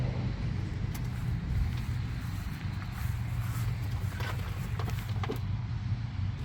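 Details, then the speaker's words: 1981 Jeep CJ7 sat over 12 years, plugs removed, WD-40 in cylinders: smooth low whirring spin with no compression pulses, no firing; cranks freely, oil pressure gauge shows nothing. "okay well it turns over but I'm not seeing anything on the oil pressure gauge"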